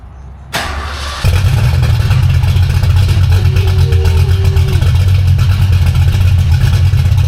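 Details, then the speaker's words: V8 car with a B451 cam and new Spintech mufflers (replacing Jones) with turndowns, after repairing driveshaft damage to its mufflers, H-pipe and fuel lines; not yet warmed up. The starter whirrs, then it catches into a deep, steady, rumbling idle. Normal idle. "uh shouldn't have that as much depth much base so hopefully this sounds real raspy"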